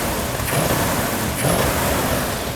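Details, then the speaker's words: Plymouth Roadrunner 4-speed V8, long-dormant, after first start, idle set and fluids topped off: deep lumpy cammed burble swelling with two short throttle blips and settling back smoothly; normal rev. "Sounds good. That sounds really good. I'm gonna give it a little RPM. Okay. Give it a little R. Music to the ears."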